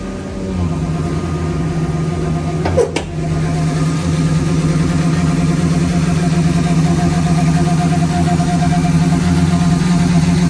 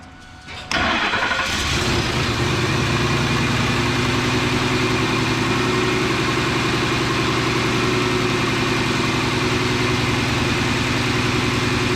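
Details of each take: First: 2003 Ford F-150 5.4 L V8 at idle: low, steady owl-like hooting hum wavering over the idle, from a failing idle air control valve; truck also stalls at stoplights, before IAC replacement. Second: 2003 Ford F-150 5.4 L V8 after idle air control valve replacement; previously stalled at stoplights and made a hooting noise. Cranks briefly, catches cleanly and settles into a smooth, steady idle with no hooting or hunting.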